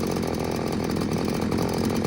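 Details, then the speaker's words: New Little Beaver TCS4600 chainsaw on its first start, cold after hours in a truck, choke off after the first pop, left at high idle to warm up: a steady, fast two-stroke buzz with no stumbles; it is warming up cleanly. "Shut that choke off. Give it a pull. let it run on high idle, chokes in."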